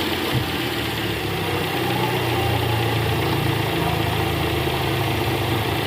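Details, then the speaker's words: 2012 Toyota Camry 2.5 with the 2AR engine and over 100,000 km, cold-started and idling in R. An uneven rattle of two to three taps per second was heard clearly at the oil pan with a stethoscope and disappears when warm. Indicates a loose, worn balancer shaft. "nah ini guys ada bunyi Kretek tek tek tek tek tek ini posisi R tadi saya sempat dengerin pakai SpongeBob di area panci oli itu jelas banget suaranya Kretek tek tek tek dan ini indikasinya balancernya oblak guys"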